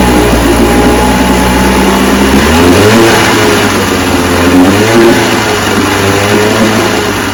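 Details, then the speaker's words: Johnson 10 HP QD-23 vintage outboard with a freshly rebuilt, adjusted carburetor: steady, even two-stroke buzz holding smooth revs with small swells, no misfire or knock; runs good. "so that's the car is rebuilt runs good I'm going to keep twerking it a little bit run it for probably all day long four or five times make sure it's adjusted just right"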